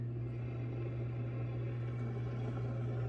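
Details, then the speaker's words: Water pump rated 160 psi running against a closed valve on a spring-fed uphill line being checked for a leak; steady low even hum, shut off as no water flowing; normal operation. "The pump is capable of 160 pounds pressure. So the pump tech just turned it off because it wasn't flowing any water."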